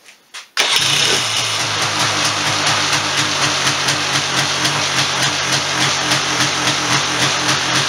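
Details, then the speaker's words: 1996 Polaris Sportsman 400 two-stroke after a top-end rebuild for a blowing head gasket: quick pull, fires straight away and settles into a crisp, even beat. Running normally after repair. "whoa there we have it it's all back together all running good"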